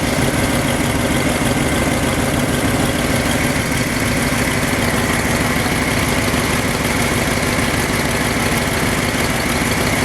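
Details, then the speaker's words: Ford F-250 after fuel pump repair, idling about 900 rpm after a full-turn idle adjustment aiming for 800; owner hears no difference and thinks it's running on pure IAC. Steady, even idle with smooth low rumble, no knocks, misses or surging; normal idle. "I didn't hear no difference. It's most likely running on pure IAC."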